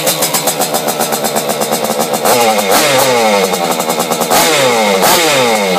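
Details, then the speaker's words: Vespa Piaggio Ciao with Simonini two-stroke engine, modified cylinder head with decompression valve, internal rotor ignition timing just set; crisp buzzy note climbing and falling cleanly with throttle blips, even firing, no knocks, no compression leak: normal two-stroke running. "and makes a lot of noise actually it sounds like it really wants to go so we're going to have a lot of fun with this project"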